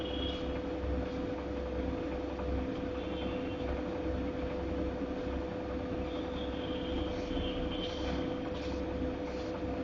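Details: Godrej fully automatic washing machine running noisily: a steady heavy rumble with a constant low hum and faint ringing. The cause is not evident.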